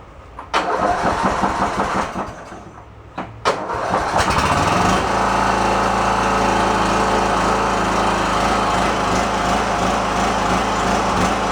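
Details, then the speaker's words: Free riding lawn tractor from a house clean-out, previously said to shut off with a backfire after about 15 minutes once warm. First start: it cranks in two short bursts, fires on the second and settles into an even, steady run with no misses. It runs fine. "let's give this guy a fire up and hopefully it does what it's supposed to"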